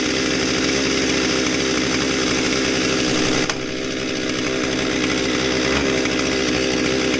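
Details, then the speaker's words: Husqvarna 257 chainsaw, customer's non-starter, first start after fuel line and trigger repair: two-stroke buzzing fast and steady with no drop to a slow idle, running pretty fast at idle; high idle speed. "so so at first i was kind of nervous there it was running pretty fast at idle"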